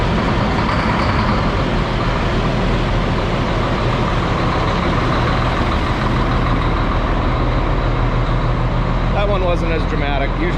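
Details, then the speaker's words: Cat C10 diesel truck, cold start on a cool day: deep steady diesel clatter settling to an even, loud, solid idle with clean rhythm; normal diesel cold start. "so another cold start for this thing like i said this thing is the coolest cold starting truck in the world little c10 cat"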